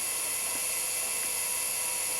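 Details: Quantum Daytona 170S SCSI hard drive spinning up after being freed from sticking, holding a steady high whine with no clicks or scraping; normal spin.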